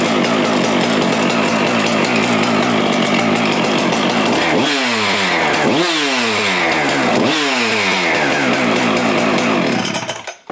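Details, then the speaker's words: Husqvarna 575XP (early 576XP) saw after the crank seal and bearing repair, reassembled with cover and air filter: crisp high-revving two-stroke buzz and three quick clean blips, running strong and smooth. "I'm going to put the cover and the air filter on this thing and just let it run for a little bit. Listen to it run."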